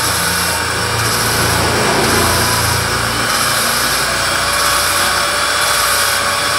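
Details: Honda Supra Fit motorcycle head (owner complained of noise and weak power), valve lapped with compound for about a minute: even steady swishing with slow regular rise and fall, no rough scratching; valve seat fully lapped.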